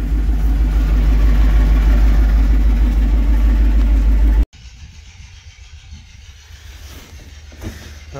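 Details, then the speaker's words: 1999 Isuzu NPR cabover with Chevy 350 small-block and 4L80E, previously needing starting fluid, now running after fix: deep, strong, even roar with steady firing for about four seconds then cut off, no misfire; normal running. "oh i think that solved it oh that makes me happy oh yeah she got power now"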